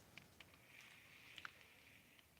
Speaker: but I'll be honest this one got a little chatter to it but this is still a very good reel but you can you kind of hear the gears